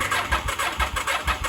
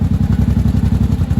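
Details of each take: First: 1983 Honda Shadow VT750C after restoration, first start attempt on fresh gas and full choke: steady starter cranking at about two pulses a second that never catches; flooded. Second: 1983 Honda Shadow VT750C V-twin, warm, fan on, idle set a little low below about 1000 rpm: steady loping idle, about seven even thumps a second with no misses or clatter; normal healthy idle.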